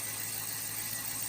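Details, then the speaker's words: 2014 Dodge Charger 5.7 Hemi after camshaft and lifter repair, cold start: brief rattle at first start, then smooth quiet cold idle, even hiss and hum, no ticking; lifter rattle returned later when fully warm. "so it's cold it rattled a little bit when I first started which is normal right now it's quiet at a cold start"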